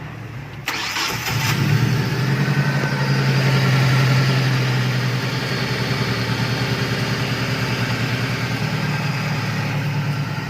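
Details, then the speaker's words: Car after repair: engine cranks, catches and settles into steady even idle with no humming or droning; earlier hum traced to oil pan bent by hitting a rock, clogging the oil strainer, pan refitted and noise gone. "ada ya suaranya hilang ya oke bagus"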